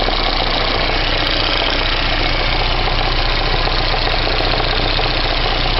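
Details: VAZ 2109 engine at idle, fully warmed to operating temperature, with a steady tapping knock keeping pace with idle speed. It appeared two days ago and does not go away when warm; cause unknown.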